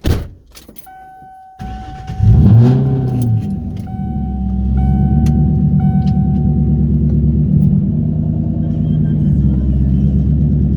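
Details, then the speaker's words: 1998 Mustang Cobra V8 cold start: keys jingle, door chime sounds, then engine cranks to a steady deep idle with no tapping; the tap usually appears once warm, mostly between 2,000 and 3,000 rpm. "I want y'all to hear that when it's cold there's absolutely no tapping sound at all"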